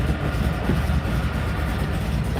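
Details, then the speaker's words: C5 Corvette V8 with billet crankshaft, long rods and custom pistons, at idle: deep lumpy idle with a loose, uneven rattle; torque tube rattle despite new torque tube bearings, worsened by an unsprung clutch. "i just put bearings in this torque tube because it rattled loud"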